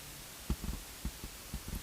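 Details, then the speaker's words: Nissan Sentra radio install without a harness: soft low thumps, about eight irregular pops in a second and a half over quiet hum, from the rear right speaker as its wire pair touches the radio plug; speaker pop test response. "I'm not sure if you can hear it, but it's popping right now. It's popping in the back. And that's my rear right speaker."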